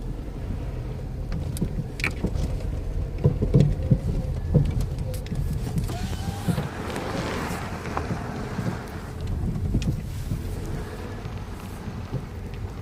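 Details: Kia Rio JB driving over bumps: dull, irregular thuds over the road rumble, a front suspension knock; owner suspects stabilizer bushings and control arms, cause unconfirmed.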